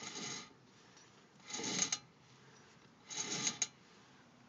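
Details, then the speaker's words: Car with front driver's side wheel off, turned by hand: dry scrape about every 1.5 seconds like a marble dropping, then light clicks, heard from behind the hub; brake pads not worn to metal; cause unclear. "you can kind of hear like it sounds like i'm marble dropping right after i stop you here click click after that"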